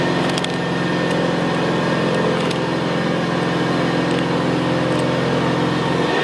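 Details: 1975 Hoover Senior Ranger U4002 vintage upright vacuum on carpet: steady motor hum under a gravelly, rattling brushroll growl, more audible where carpet is squashed down; a growl typical of the Ranger. Normal, healthy running.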